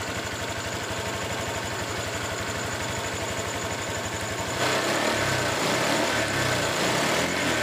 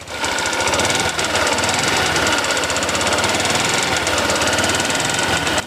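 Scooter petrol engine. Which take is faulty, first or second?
second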